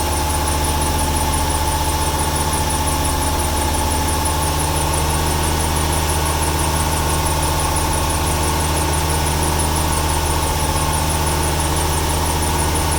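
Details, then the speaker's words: 1995 Ford 300 inline-six with over 400k miles, misfiring, just after rain: steady high-pitched squeal over rough running; belt squeal, suspected wet belt, not confirmed. "Here we go. Squeaky belt, it just rained yesterday. Or this morning."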